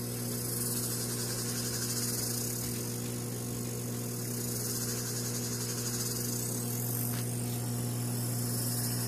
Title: Mp40 dry side making noises